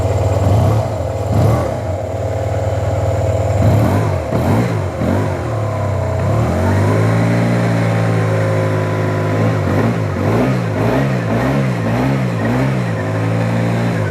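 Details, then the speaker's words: Neglected Yamaha TMAX maxi scooter under restoration, just booster-started, little fuel, no engine lights: smooth even note climbing cleanly when revved and settling back, no knocks or rattles, quiet; healthy revving. "Really quiet, doesn't seem to burn oil."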